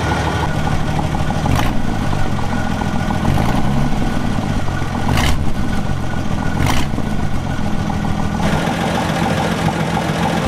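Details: 1961 Ford Falcon with the muffler rusted off and the exhaust manifold barely attached to the cylinder head: a loud, deep, unmuffled idle with a few sharp throttle blips. Exhaust leak.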